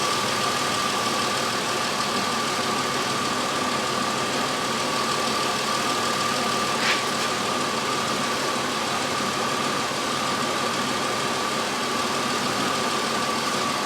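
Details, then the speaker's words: 2003 Chevy Impala 3.4L with intermittent high idle to about 2000 rpm, after cleaning the carbon-covered IAC valve; steady, even idle with a faint constant whine, no surging or hunting. Normal idle. "it's not raising right now sounds good right now"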